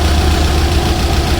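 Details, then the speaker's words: Mitsubishi Galant 4G63 just started after revival: rough, slightly uneven idle with a faint top-end clatter; misfiring (palyado) with noisy valve lifters, to be double-checked. "At least nakita nyo na siya umandar, kaya lang palyado."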